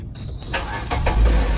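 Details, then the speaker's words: After cleaning sludge from the camshaft position sensor on a car that wouldn't start, a short starter whirr, then the engine catches at once and settles into a steady idle; clean, healthy start. "Did you see it? Smooth start."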